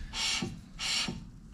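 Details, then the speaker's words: 2009 VW Golf Mk6 2.0 TDI rear brake after new disc, pads and caliper, caliper bled and piston pushed out by pumping the pedal: disc turned by hand gives soft rhythmic swishing as pads lightly rub; normal drag. "the disc still turns but you can hear the pads rubbing on it that's perfect that's normal"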